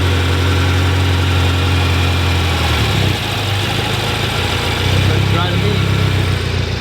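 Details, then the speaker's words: 2018 BMW M6 V8 (Copart salvage with front-end damage) started right up: deep, steady burble through side-dump exhaust, even low rumble, no knocks or ticks; sounds beautiful, normal idle. "it sounded cuz we got a side dump exhaust wow dude that sounds beautiful"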